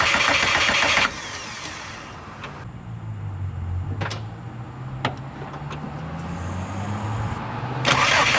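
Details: Subaru engine after new spark plugs fitted, coils tested and tune reverted to original running settings: starter spins the engine at a steady, slightly lumpy rate for several seconds but it never fires; crank, no start.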